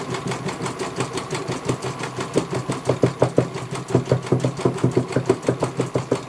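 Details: CNY computer embroidery machine serviced from Banjarnegara, Central Java, that arrived with its motor (dinamo) not turning at all and the bobbin case missing; even clacking about three stitches a second over steady motor whir, one colour finished very well. Normal stitching.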